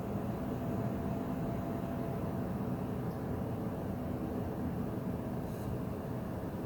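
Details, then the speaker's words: AMD Radeon VII graphics card on an open test bench under load, with steady, loud rushing fan noise and no rise or fall; a high-frequency whine is also present but masked by the fans. "이 소라빵님께서 사전에 팬 소음이 조금 있다라고 저한테 미리 말씀해 주셔서 예상은 하고 있었는데 이 정도일 줄은 몰랐습니다."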